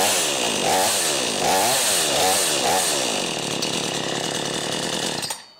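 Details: Brand new XtremepowerUS 45cc two-stroke chainsaw on mixed fuel, warm after cold-start smoke cleared: crisp buzz rising and falling through throttle blips, then steady high idle; running cleanly, ready to cut.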